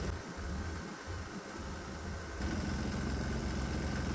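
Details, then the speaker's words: 196cc 3hp single-cylinder diesel with four alcohol vaporizers plus a shot of propane into intake: steady thudding beat speeds up and gets louder; combustion knock increases with propane. "Oh, it likes the propane, and the knocking sound got a little bit louder. I guess that was to be expected."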